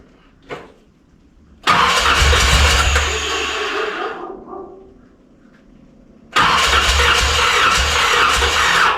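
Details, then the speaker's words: 1981 Corvette engine just reinstalled after removal, new pushrods fitted, battery fully charged: cranks, catches and runs uneven with a lumpy, loping beat and speed dips, still not firing on all cylinders. "No, she's still not firing on all of them."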